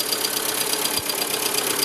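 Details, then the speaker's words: VW Gol after a water pump fix, on first start: the earlier squeal from the pump is completely gone, but a light lifter tick remains over the petrol idle until oil warms and fills the worn lifters, which may need replacing. "apenas fue el primer arranque ya está jalando tiene un ligero ruido aquí en las punterías pero eso ya es otra cosa ya del ruido que teníamos de la bomba ya se ha quitado por completo"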